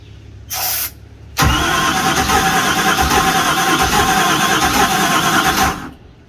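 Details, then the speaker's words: Houseboat engine being cranked with starting spray: brief whirr, then the starter cranks steadily for about four seconds but never catches; crank-no-start, with fuel suspected. "He just sprayed it. It's almost trying. Is it? It almost tried."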